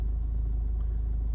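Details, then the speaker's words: Renault 1.5 dCi diesel that had a starting problem, now repaired: steady low rumble with even clatter and no stumbles, normal idle. "en fait que là vous entendez le moteur en route c'est normal parce que j'ai trouvé la panne"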